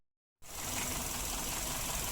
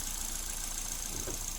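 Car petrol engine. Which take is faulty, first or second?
first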